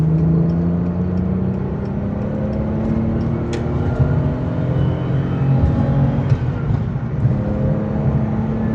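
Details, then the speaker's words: BMW E31 850i V12 after full restoration, brand new exhaust not yet broken in (2,000–3,000 km needed), merging onto Autobahn: smooth even V12 drone pulling through gears under road and wind noise; exhaust subdued, a bit too quiet, healthy. "And the exhaust, I think it's a little bit too quiet."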